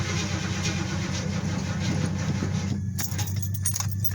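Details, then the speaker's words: Chevy Caprice with a newly installed alternator and a completely dead, uncharged battery, being jump-started from another car: about three seconds of steady low starter churning that drops away with no catch; no-start from the dead battery. "Don't look like we got enough juice yet, so we're gonna have to let that set for a minute, because that battery was all the way dead."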